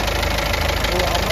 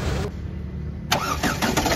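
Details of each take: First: Ford EcoSport diesel, check-engine and oil lights on, oil possibly low and leaking: loud idle with hard, even thak-thak knock every cycle; teardown showed a piston/valve-related knock and a fully leaking head gasket with blocked coolant passages. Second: Ford EcoSport diesel after engine rebuild with original Ford pistons, rings and oil seals, engine refitted: cranks briefly, starts cleanly and idles steady with no knock; previous engine noise gone.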